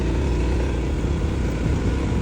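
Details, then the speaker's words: Honda ADV350 after tightening loose windscreen bracket screw: steady engine and road rumble over rough pavement, front-end rattle completely gone; normal ride. "没有了，完全没有了这个声音。"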